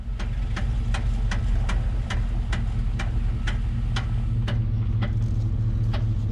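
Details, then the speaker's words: 1995 Chevy Tahoe with Yukon Grizzly automatic locker and 4.56 gears, parking in a tight turn: crisp even clicks, two or three a second, slowing as the truck creeps; normal locker ratcheting. "so there you go boom we're parked in a perfectly tight parking spot and that's the clicking noise but that's also the benefit of it doing its job and letting you make that turn without completely shredding your tires"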